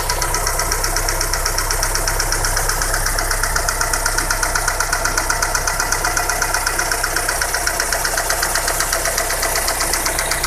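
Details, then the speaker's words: Daewoo Nexia with 8-valve GM engine idling: crisp steady tapping knock about four a second, same cold and hot; hydraulic lifters already replaced, no piston issues; worn rocker arm. "стук и на холодную, и на горячую одинаковый. Лучше. В общем, компенсаторы менялись."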